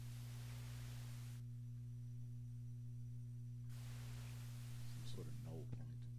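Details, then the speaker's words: Amplifier mains hum: a constant low, steady buzzing hum persists in the background even with the channel volume and all tone controls turned down; owner suspects a power-supply capacitor, source not yet found. "because you can hear the hum right now when the when the channel volume is down that's why I was thinking the see you can still hear that hum in the background"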